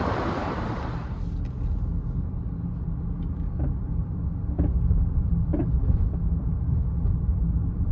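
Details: 2015 Honda CR-V, 112,000 miles, on a short test drive: irregular dull clunks over steady road rumble. The cause is loose front sway bar end links and worn sway bar bushings, which are being replaced.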